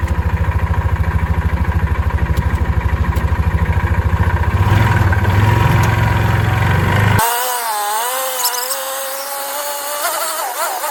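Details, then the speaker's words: 2006 Yamaha Rhino 450 with thicker-weight oil added to soften knock: single-cylinder thumping about three a second, uneven and rough with dull knock underneath until shutoff; owner suspects low-end knock, cause unknown. "That, uh, motor, it's rough. It sounds like it's got like a low-end knock or whatever. I don't know what it is."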